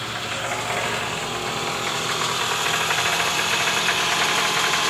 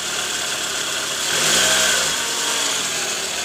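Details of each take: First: 2009 Toyota Alphard ANH20, 2AZ-FE engine, cold start, heard from below near the oil pan: harsh, uneven knocking rattle even in neutral at idle, easing when warm; balancer shaft worn, loose at gear no. 1. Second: Toyota Alphard 2AZ-FE after replacing a worn balancer shaft (gear no.1 loose) that caused a rough noise from the oil pan area, worst on cold morning starts: now a steady, even, smooth idle heard from underneath, soft hiss, no knock or roughness.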